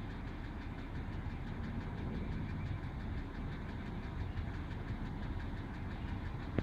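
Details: Car engine at idle on a chilly morning: a loud, steady, fast ticking-knock over the low rumble, audible about 6 feet from the car; no drop in oil level, and the engine had been idling about 15–20 minutes.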